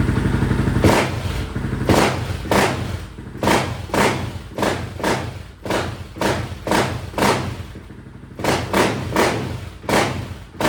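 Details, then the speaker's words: Honda TRX 700 quad with stage three cam on a Vortex ECU, map one, after fuel-setting tweaks: repeated throttle blips pick up cleanly and drop back without popping or stumbling; runs much better, though the owner is unsure whether it's running lean. "this sounds a lot better I must say but I'd like to hook up an AFR gauge or something on it to be able to see that air fuel ratio to know if I'm running lean or not"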